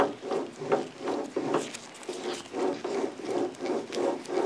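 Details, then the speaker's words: Worn wheel bearing removed from a Volvo's front-wheel-drive drive wheel, clamped to a trailer so the sound resonates and turned by hand, gives rough, gritty grinding in repeated surges; wear starts as light clicking, then groaning or grinding. "sound normally starts out as a light clicking sound as it becomes more worn than you have the groaning or grinding sound"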